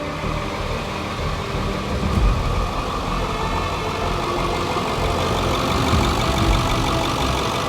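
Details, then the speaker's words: Ford F350 7.3 Powerstroke diesel started right after a new fuel filter was fitted; settles into a steady, even idle with smooth low clatter and no stumbling or hunting; normal idle. "So, I definitely heard some noises. Ho-ho! It starts. Good."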